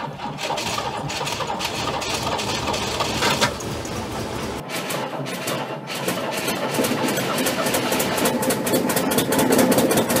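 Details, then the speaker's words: Abandoned Chrysler Valiant VG, not run since 1997; first start attempt after fitting distributor (slant-six dizzy), battery, coil and leads, auxiliary fuel tank. Starter whirrs, engine catches briefly, dies, cranked again; keeps trying but won't keep running, timing/fuel suspected. "well she wants to I need you nice if the desi was accessible while I was cranking it because I could sort of jiggle it as I was going but um we'll get there"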